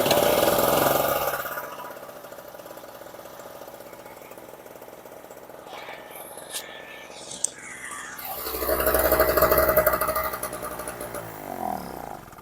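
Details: Storm Cat 700W Harbor Freight generator, 63cc two-stroke on 50:1 mix: buzzes briefly, fades and dies, then catches again only weakly. Runs get shorter each try; owner suspects fuel starvation, possibly the carb float.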